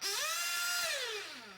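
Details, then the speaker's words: Nitro RC engine warmed to about 100°C: idle is fine, but after revving it screams up and holds high, sagging only slowly back, because the high-speed needle is too lean and the engine starves for fuel. "so the idle was fine rev it the top end is lean now the idle doesn't settle it stays high"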